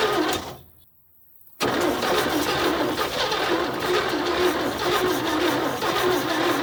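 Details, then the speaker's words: 1972 GMC tow truck sat 22 years, cranking with fully charged battery: sluggish, labored turning over about three turns a second with no firing; cable gets hot, slow crank from poor current reaching the starter. "It's getting a lot of juice through it, but yeah, you're right. It doesn't feel good, but it's fully charged."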